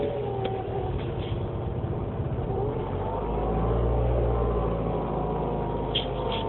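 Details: 2007 Mini Cooper S cold start after sitting, garage 9°F, about 5°F outside: died, restarted with half throttle; uneven idle swelling and dipping. Dealer found condensation and ice inside the throttle body housing, replaced; high-pressure fuel pump was first suspected but fine.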